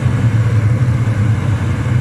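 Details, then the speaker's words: Eberspacher Hydronic 30 kW heater started with cap fitted, connected to batteries and diagnostics. Water pump, fan and spark heard, then an even steady low roar with no pulsing, popping or sputter; burner lit, normal operation. "okay you can hear the water pump also the fan yeah and keep the spark yeah and the unit is starting"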